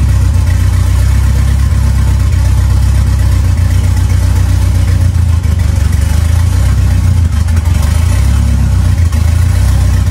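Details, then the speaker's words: Ford 2.3L turbo Lima swap on a PIMPX batch-fire engine computer, warming up while base timing is verified and set: deep, even note with a few smooth rev blips and no knocks or rattles; normal running. "well it starts and runs now we're just going to verify the timing so we're just gonna start it up and warm it up"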